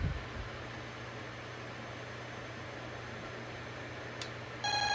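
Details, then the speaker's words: Honeywell 5700 (Radionics D7112) alarm panel with a perimeter zone tripped by a wire jumper: quiet room, then an abrupt steady high electronic tone as the bell output turns on; area one in alarm. "this zone is set to a perimeter zone so now we are in alarm which is cool area one is on alarm"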